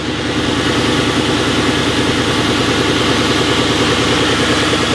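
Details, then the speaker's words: Ex-police Ford Crown Victoria P71 V8, cold start after a freezing night, listened to from one side under the hood; loud steady idle with faint rhythmic knocking, strong only right after cold start and weaker when warm; source undetermined. "I hear knocking from this side But you can really hear it strongly only when it's cold Only right after starting Then you can hear the knocking too, but much weaker"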